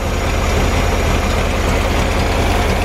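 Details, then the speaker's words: VW Bus idling, fuel still leaking at fuel pump: loud raspy open-sounding idle with even beat and unmuffled exhaust roar from an old empty, blown-out muffler. "It's idling so good. This muffler is kind of whack. It's an old empty muffler, and it's all blown out."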